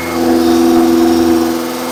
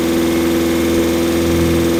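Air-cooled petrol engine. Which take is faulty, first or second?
second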